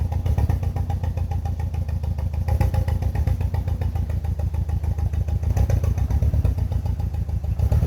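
Four-cylinder idle with an uneven, stumbling beat and irregular dropped pulses in the low rumble, the shake of a misfiring cylinder.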